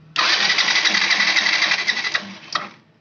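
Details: Yamaha FZ FI BS6 motorcycle, key on, starter cranking: steady whir under three seconds, engine turns over but won't fire; wiring found cut in many places.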